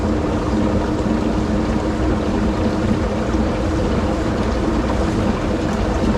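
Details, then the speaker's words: 9-year-old LG WT5480CW washer in test mode (drain plus agitate): steady wash-and-rumble with a constant motor hum and no back-and-forth rhythm, as the drum spins instead of agitating, seemingly straining the motor and suspension with the frame creaking. "when I set it to that mode instead of the washer agitating like it should the drum instead started [Music] moving"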